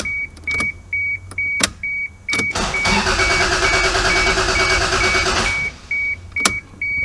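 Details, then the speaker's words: Old MK3 Toyota Supra after sitting for years, on a jump box after a loose positive terminal fix: chime beeps, then steady cranking for about three seconds without catching; no fuel reaching the engine and no fuel-pump prime heard. "unfortunately i still don't think we're getting any fuel up there that brake pedal feels just feels just like a clutch pedal it really doesn't feel like i'm getting any fuel still i'm not hearing the not hearing it prime either"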